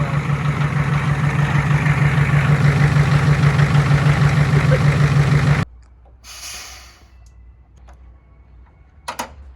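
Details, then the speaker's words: Diesel pickup with a blown head gasket idles rough and heavy, knocking about three times a second, while coolant runs through the turbo and blows out the exhaust. "we have lots of cooling going through the exhaust system and then yeah coolant's running all the way through the system through the turbo and coming out of the exhaust right here"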